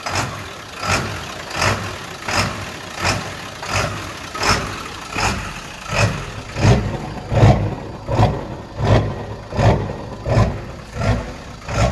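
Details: 2001 7.3 diesel truck with rough running: engine pulses in a steady heavy beat about every 0.7 seconds instead of revving smoothly, and struggles to get past 1800 rpm.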